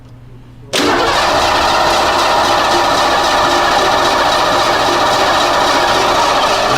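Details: Ford with EEC IV ignition, no-spark diagnosis: the starter cranks hard and steady for about six seconds with an even whirring beat, but the engine never catches; crank no start due to no spark.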